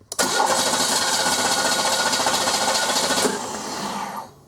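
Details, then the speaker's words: 1995 Oldsmobile 88 3800 Series II with low battery, cranking with test light on injector: quick steady cranking, three to four beats a second, never fires; no injector ground switching, ignition module suspected, crank no start. "a voltage is switched and it didn't so it proves right there we're not getting any ground switching"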